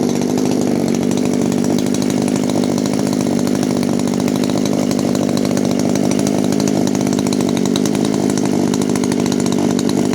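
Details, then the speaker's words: 1997 Echo HC-2300 two-stroke hedge trimmer, cracked fuel lines repaired, L screw out two and a half turns: steady, even buzz with no surging or stalling, holding idle after a hard throttle blip; normal idle after acceleration. "de tours et demi le régime est régulier vous voyez après une forte accélération il tient le ralenti"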